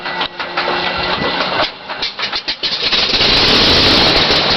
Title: Left engine won't start Elreno